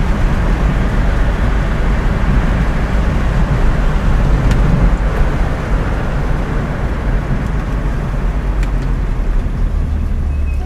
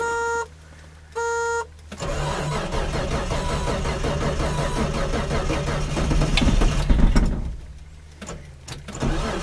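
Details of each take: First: Datsun 280Z with automatic transmission, driven about 8,000 miles since a junkyard rescue, cruising on the road. Steady low engine drone under road noise with no knocks; mechanically running well despite heavy rust. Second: Datsun 280Z on a cold start around 35°F, unrun for a week or two, with a cheap replacement starter: two chimes then about five seconds of slow, labored cranking at roughly four turns a second; weak starter sluggish in cold.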